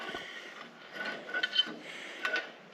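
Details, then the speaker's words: John Deere BN tractor steering gear during mesh adjustment: uneven creaks and squeaky clicks come in bursts as the wheel is turned. The mesh may be set too tight, so it is to be backed off a notch. "So, that's too tight. So, we'll have to back it off one. Okay. Right there. I think hear how it makes that noise."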